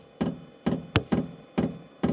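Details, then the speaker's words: Sunster 8kW diesel heater starting up off-grid, sitting on a wooden table that acts as a soundboard: sharp single dosing-pump clicks about two a second over near silence, beginning to speed up; audible clicking pump, working normally. "Right, for a couple of seconds I was wondering there, did this thing click or did it have a quiet pump in it? I can tell you now, it clicks. It's not quiet."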